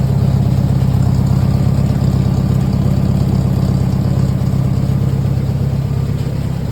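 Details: MGB during restoration, air filter off: steady even low rumble with a smooth regular beat, no misses or ticking, and no exhaust smoke. Normal clean idle.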